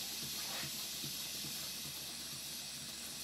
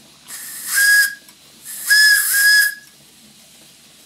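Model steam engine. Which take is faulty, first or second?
first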